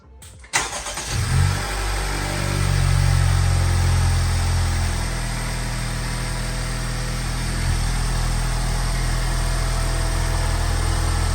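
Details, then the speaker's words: 2021 Honda Civic Type R (FK8) first start after PRL intercooler and charge pipe install with battery disconnected: quick crank, catches, brief flare, then settles into smooth even low idle; healthy start. "So yeah, we're gonna start it up. Hopefully everything's good."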